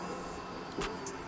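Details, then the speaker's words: 1959 Chevy Apache pickup with LS3, after adding fuel: faint steady electric hum with one short whir as the in-tank fuel pump primes normally; owner thinks the pump is mounted too high in the tank. "Well, that sounds instantly better. Pretty close. I must have the fuel pump mounted too high in the tank."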